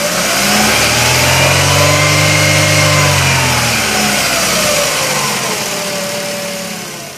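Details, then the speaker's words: 2011 Chevrolet Aveo with its camshaft position sensor being checked by oscilloscope on the signal line, where frequency should rise with rpm: the engine pitch climbs smoothly, holds and falls back with an even beat, no misses. Revs normally. "a medida de que nosotros incrementos las revoluciones esta frecuencia deberá de"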